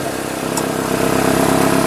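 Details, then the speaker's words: 2005 Nissan Altima 2.5L four-cylinder idling after valve cover swap and new spark plugs, coils and boots (oil in plug tubes had caused misfires); steady, even idle pulse with no skips or stumbles; idles cleanly without misfire. "it runs it lives it doesn't backfire or not backfire but misfire Yes No it should be good yeah that should be good until the next issue arises"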